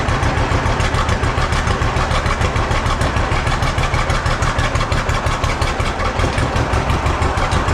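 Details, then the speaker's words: Old John Deere B two-cylinder tractor just started after carburetor float check: low steady thumping idle that wavers and stumbles slightly; runs a little rough, owner wants it evened out. "well the old John Deere V don't run too bad however I didn't need to work on the carburetor and it seems you want to run just a little bit rough got to get that evened out"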